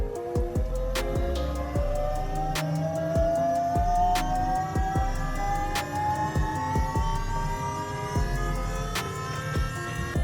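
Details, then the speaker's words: Datsun 1200 fitted with an Astra electric power steering pump, fluid full with no air: a steady whine rising slowly in pitch with scattered ticks; the pump is noisy. "It's pretty noisy, isn't it? This little fucking thing."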